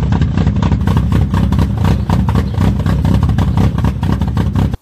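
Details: A carburetted Fiat Brio revs in ragged, uneven bursts with a lumpy, stumbling exhaust beat, misfiring on three cylinders; the cause was a clogged carburetor air jet giving an over-rich mixture.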